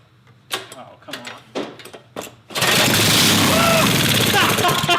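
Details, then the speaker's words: Minibike engine started with upper cylinder lubricant sprayed in, carburetor not bolted on. A few sputtering coughs, then a loud, raspy, steady run with no knocking. "So she runs. She runs, man. Pretty loud, too."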